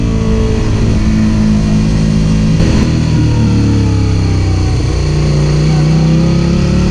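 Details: Suzuki SV650 V-twin motorcycle revving and pulling: uneven stumbling exhaust beat, firing rhythm stuttering under throttle; engine misfire, cause unknown.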